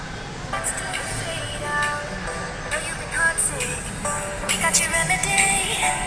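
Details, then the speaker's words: MacBook Pro A1502 after its cracked, worn speaker was replaced with a new one; music plays cleanly with clear notes and thin bass, much better than before and no longer crackling. "โอเคนะครับเสียงดีขึ้นกว่าเดิมเยอะเลยนะครับผมแต่ไม่แตกเหมือนตอนแรกแล้วนะครับ"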